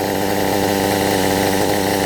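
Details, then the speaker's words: Kyosho MP9 nitro buggy, standard two-stroke engine after tuning, about to run out of nitro fuel: high-pitched fast buzzing tick-over, steady and even without hunting or dying; idling cleanly. "ticking over. It's going to run out of nitro in a minute. What more could you ask for?"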